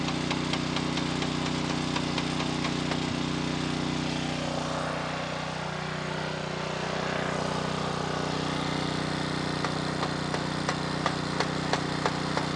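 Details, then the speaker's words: A 2.4-gallon Simpson pressure washer with the water on runs its small engine steady, with light ticking and no labouring. Water flows through but the pump isn't engaging or building pressure. A bad pump is suspected, and no pump oil fill has been found. "okay we have water going through the pump but the pump is not engaging"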